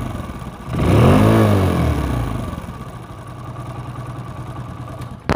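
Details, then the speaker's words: Old first-model Hero Splendor motorcycle: a harsh dry rattling clatter rides over the engine through a quick rev and back to idle, persisting despite earlier work; engine rattle from a worn oil pump. "But বিষয়টা হলো যেটা engine থেকে ঝ্যাঝঝারি ঝ্যাঝঝারি sound আসতেছে, এটা কোনোভাবে remove হচ্ছে না।"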